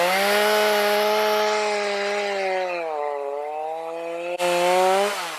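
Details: Stihl MS310 chainsaw after no-start fix needing no parts (runs four-stroking, LA screw reduced until chain barely creeps), cutting very hard cedar with dull chain and rakers too high: clean steady full-throttle scream dipping slightly under load, recovering evenly; running properly.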